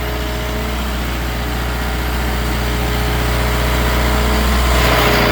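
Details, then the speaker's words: Hitachi machine, gear train filled with Deere oil instead of Hitachi oil: steady idle with droning hum and fixed howling tone; gear train howl, gone after fix. "Yeah, that's not good. Hitachi death howl, baby. Let's just say we found the problem."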